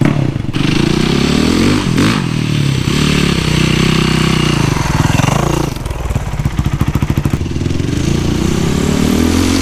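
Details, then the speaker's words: Rebuilt Yamaha YZ450 single-cylinder after replacing stretched timing chain with new one; thump revs up and settles cleanly, much quieter, no ticking or rattle from the top end; normal running. "the engine sounds much quieter now I think it's this is a normal Y Z 450 sound that old timing chain was garbage I'm so glad I swapped in the new one"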